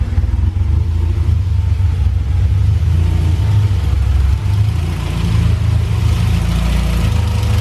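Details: Warm Honda Civic hatchback, built high-compression B-series (B18C) engine with Skunk2 valvetrain, cam gears, ported intake, custom 4-1 header, twin-loop exhaust, during full tune-up, before valve/lifter adjustment: steady even low rumble, no top-end ticking or rattle, slight throttle blip; healthy idle.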